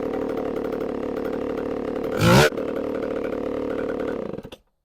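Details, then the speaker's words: ProMac 605 two-stroke chainsaw, which previously petered out, after a new carburetor was installed: steady, even buzz with one brief blip, then shuts off cleanly after about five minutes of running. "we'll see if she's still running oh baby we are in it's still going we've been running for about five minutes now"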